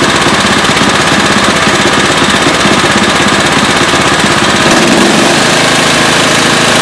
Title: Murray engine knock